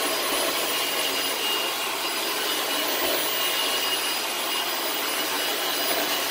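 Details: Vacuum (possibly Dyson BC18, Facebook Marketplace find) running with a steady high rushing whir and a faint thin tone on top, odd resonance and weird wind-down only when the cyclone assembly is attached; owner suspects the cyclone assembly needs cleaning out.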